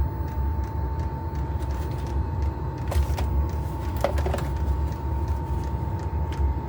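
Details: Chinese diesel heater on trial run, exhaust not bolted on, doors open for ventilation, warming up: steady low roar of the burn chamber with constant mid-pitched hum and occasional light ticks; normal burner operation.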